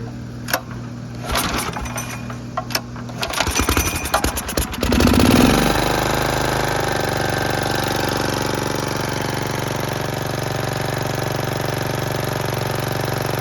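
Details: Snapper riding mower after the carburetor float kept sticking, fixed by reversing the float bowl; started on choke in neutral, it gives a few cranking chugs, catches at about five seconds and runs evenly with no misses.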